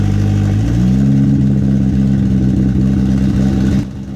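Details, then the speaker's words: Built KA-T turbo engine in a 240 with new Pulsar PSR 3582 turbo, running after nearly 2 years sitting: revs up and holds with slightly uneven burbling note then drops back; rough running while fuelling is dialled in. "all right so it's finally running very very loud but the turbo is spinning"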